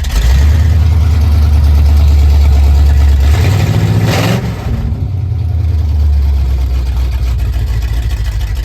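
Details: 1980 Ford F-150 with swapped 351 Windsor V8 (likely mild cam, roller rockers, gear-drive timing set), fresh Valvoline VR1 oil, accessories and power steering fitted: deep, steady rumble with one throttle blip, settling to a smooth even idle; sounds healthy.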